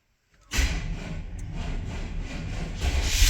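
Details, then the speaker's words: 1994 Chevy 1500 throttle-body 350 V8 after fuel pump replacement and several key-on primes; short crank, then it catches at once and settles into a steady, even idle. It starts and runs fine again. "There She Goes and that's all it took shoot yeah and I think we're back"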